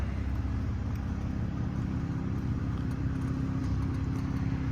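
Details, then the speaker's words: 2020 Toyota GR Supra 3.0 Premium in normal drive mode at warm idle: a quiet, even low hum with the factory exhaust quieted, no rattle or tapping, a healthy running engine. "so really cool the exhaust is quieted"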